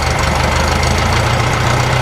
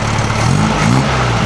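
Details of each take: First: 1956 VW Beetle air-cooled engine after fixing the spark plug cap and timing: a steady idle, then blips that rise and fall without crisp pickup. It sounds much better but still runs too lean with no vacuum leak, so a larger jet is planned. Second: 1956 VW Beetle air-cooled flat-four with open exhaust, after rewiring fire-damaged wires, timing the distributor and correcting a faulty spark plug cap: steady, throaty even idle with no stumbles, still not revving up properly; normal idle.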